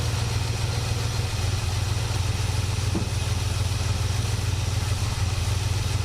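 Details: 1967 Buick GS340 at cold start: a low, slightly lumpy idle with no clear misses. The owner blames the ignition system, and faulty points were later found and replaced. The remanufactured carburetor's idle circuit was also flowing poorly.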